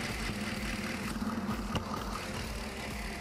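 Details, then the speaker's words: 2016 Holden Commodore VF 6.2 L LS3 V8 with misfire, stethoscope on suspect injector number five at idle: dull, uneven hum lacking the crisp regular tick heard on other injectors; dead fuel injector. "take note of the noise the number five which is our suspicious injector notice the difference"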